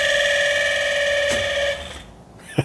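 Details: 1992 Saab 900 Turbo at key-on after a stuck ignition switch repair: a steady, mid-pitched electronic chime for under two seconds, then it cuts off; an odd warning tone of unknown cause.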